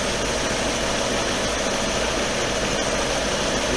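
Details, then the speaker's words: 2007 Lexus LS 460 idling with A/C on after condenser replacement (bad screw and seal) and refrigerant recharge: steady idle with even compressor hum, no knocks, squeals or leaks; car cooling, normal A/C operation. "Car is getting cool right here. Pull this eye. Alright, so it works. It worked."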